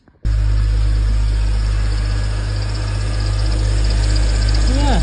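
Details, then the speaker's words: BMW Z4 E85, M54B22 engine, idling just after fitting a new auxiliary belt (old belt squeaked and was worn): deep, even drone with no belt squeal or chirp; belt drive now sounds fine. "seems to be all right now."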